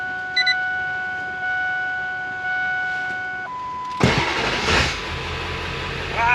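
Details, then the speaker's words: Ford F350 7.3L PowerStroke diesel right after replacing the starter with a higher-torque aftermarket unit: warning chime, short quick strong crank spinning the engine faster, fires almost instantly into steady idle. "it sounds scary I don't know I think it's it's all that torque turning the engine over to a lot faster"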